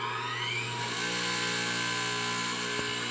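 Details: Bench lathe two-speed capacitor-start or split-phase AC induction motor (1725/3450 RPM) switched straight to high: hum climbs quickly in pitch, then holds a clean steady tone; normal smooth start-up.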